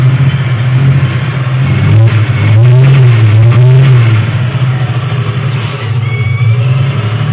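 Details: Chevrolet Opala engine revving up and down: steady low drone with a faint hiss. The test confirmed the noise was false air leaking at the first base of the intake manifold, not the camshaft gear.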